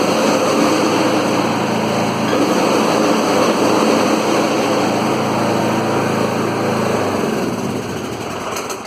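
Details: 2013 Troy-Bilt Bronco riding mower (model 13YX78KS011) after replacing broken blade engagement cable: steady small-engine drone with blades spinning under load, even speed before winding down; normal running with blades engaged.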